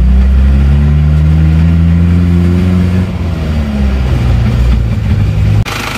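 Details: Isuzu Panther 2.3 diesel after engine repair reusing worn liners: revs up and settles back with smooth, even low drone, no knocks or misses; exhaust no longer smoking.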